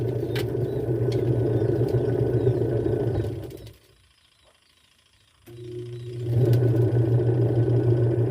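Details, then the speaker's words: Twin-tub washing machine wash motor: low heavy hum, not turning, then spins weakly only when helped; failing capacitor, to be replaced. "Kung narinig niyo mga guys ah hindi siya umiikot pero umuugong siya. >> Ayan. So ayan mahina umikot."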